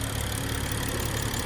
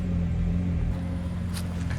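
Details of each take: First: BMW 335i warm idle: steady, even idle with light ticking sewing-machine patter over a smooth low hum; runs normally, though the high-pressure fuel pump is failing and setting codes. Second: BMW petrol engine started after sitting a week and a half: a low, uneven rumble with a loping beat, idle rough at first. The owner suspects a failing high-pressure fuel pump, which is also hurting emissions; not confirmed.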